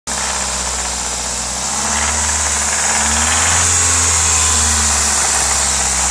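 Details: Audi S3 1.8T 20v turbo four at idle: fast metallic rattle about three or four per second over steady idle; source unclear.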